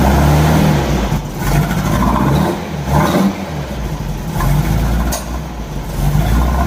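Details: 1964 Volkswagen Beetle after new spark plugs and firing order checked, air cleaners refitted: uneven revving with sharp pops about every second; still backfiring under throttle, cause not found.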